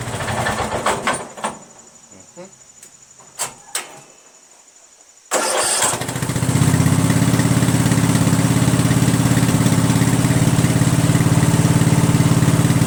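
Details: Craftsman 13.5 mid rear engine riding mower, on choke, after deleting a faulty intermittent fuel solenoid, hardwiring the magneto kill wire and fixing the throttle cable: a few quiet knocks, cranks, catches and settles into a steady, even low thump; starts and runs healthy.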